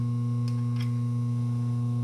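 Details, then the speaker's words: Machine shop cutting valve seats for a 2000 Jeep Wrangler TJ 4.0L head: deep constant electrical hum with buzzy overtone and light tool ticks from the ceiling three-phase converter running off 220 V, normal. "So, the humming that you're hearing is the three-phase converter that's up in the ceiling. So any hum that you hear, you can't do anything about it because it changes the regular 220, you know, phase from outside to one that these machines use. So that's what the humming is."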